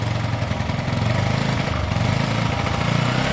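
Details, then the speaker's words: Motorcycle started after sitting a year or two, cold on choke: quick, even putter with steady firing and no knocks or misses; the idle is smooth and sounds healthy. "so I remember the chokes on in a minute you'll be able to turn the choke off and it should either be power I think it sounds good it's got a really nice note"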